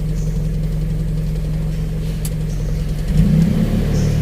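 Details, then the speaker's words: Daihatsu Charade idling around 800 rpm with an aftermarket AC delay module: engine speed steps up and settles slightly louder when the AC is switched on, before the compressor clutch engages; idle-up working properly. "jadi begitu kita nyalakan AC itu rpm nya naik dulu nanti setelah naik rpm nya baru magnetnya aktif untuk menggerakkan kompresor"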